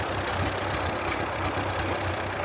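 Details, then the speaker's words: 1938 Case RC tractor with sunburst grille, oil pressure about 20 psi, steam from the crankcase breather from condensation: slow, heavy idle with an occasional faint stumble. Slight miss at idle; owner suspects carburetor issues, possibly the magneto. "yeah it's definitely i think it's definitely got some carburetor issues i can hear it kind of missing a little bit"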